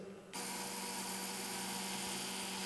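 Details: Humphrey pump trembler coil buzzing as the ignition button is pushed to fire the 50-50 gas-air charge in the combustion head: abrupt, steady, even mid-pitched buzz with a bright edge, held constant. Trembler vibrating and sparking normally.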